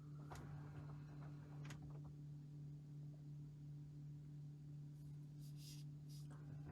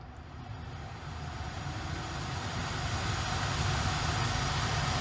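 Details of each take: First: Brand-new 2021 Tesla Model Y parked, cabin: a steady low transformer-like electrical hum, louder as the air conditioning comes on with rising fan rush; an earlier-built Model Y is silent. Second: Earlier-built 2021 Tesla Model Y, parked in the cabin with the AC turned on: faint steady low hum with soft airflow hiss, no pulsing or rattle. Normal climate system noise.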